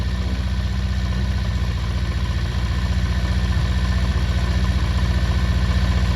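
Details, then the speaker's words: 48-year-old Honda CB400 Four after carburettor balancing (set to 1.2 per the manual), normal idle: a steady, even low tickover with no hunting or misses. "See that smooth out? You can hear it, that's perfect that now. That is fucking perfect."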